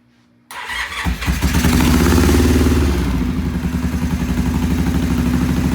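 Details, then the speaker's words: Vintage British twin motorcycle on first start: fires, revs, then settles into a lumpy, uneven beat that won't hold a clean idle. Poor idle blamed on clogged pilot jets. "And it wouldn't idle before very well, so we're going to fire it up now and see what it does."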